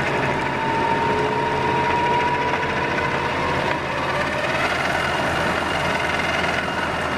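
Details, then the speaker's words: Worn roughly 70-year-old Pacemaker lathe headstock running in neutral: faint irregular tick under the gear whine, slower than motor speed, so not thought to be the input shaft, input pulley suggested; headstock ticking noise. "all right I think you can hear the tick tick tick going there um there's a a tick in the back um it's slower than motor speed so I don't think it's the input shaft"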